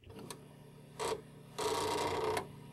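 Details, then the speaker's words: Commodore 1541 disk drive loading a copied Karateka disk: short buzzing bursts then a longer grinding run that stops dead; drive head stuck at track 42, game won't load. "you hear kind of a funny sound but the game doesn't work so you turn off your disc drive turn off your computer turn it back on again"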